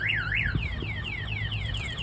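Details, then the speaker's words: 2022 RAM TRX with aftermarket alarm and kill switches armed, triggered by hitting or opening the truck: loud warbling siren rising and falling several times a second over faint low hum; security alarm sounding. "You can hear that siren going off. They're not going to be able to cut the siren because they can't get to it."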